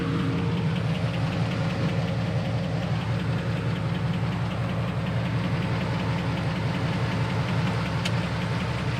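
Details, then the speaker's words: Engine idling just after an oil change, heard on a walk-around with oil pressure steady: light, fast tick about two to three per second over the hum; owner says it has ticked for 15 years, cause unknown. "And yes, it's going to be loud because the engine's running, but oh, listen to that pick. Tick, tick, tick, tick, tick, tick, tick. I swear, boys, that thing has been doing that for 15 years."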